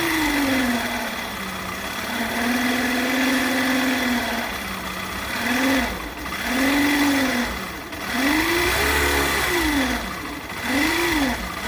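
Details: Hero bike, magneto side: a clear humming tone rises and falls with every throttle blip over the engine note, often mistaken for the timing chain; a failing stator coil winding, with the pulsar coil in the same assembly.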